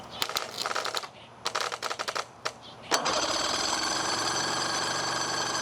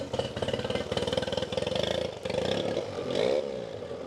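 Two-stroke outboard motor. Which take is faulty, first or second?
first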